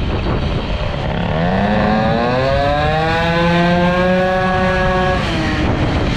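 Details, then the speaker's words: Air-cooled 103 Hybride moped with Airsal 65 kit, short belt and stiffer variator spring, carburetion richened, at full throttle: clean two-stroke howl climbing smoothly without stuttering or four-stroking; carburetion now right, pulls well. "Donc écoutez, là, la carburation, il n'y a plus de bœuf quand j'ouvre en grand, donc là ça a l'air mieux. Ça tracte sympa, ça tracte bien sympa"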